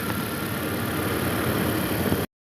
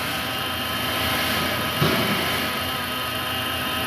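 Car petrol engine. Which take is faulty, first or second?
second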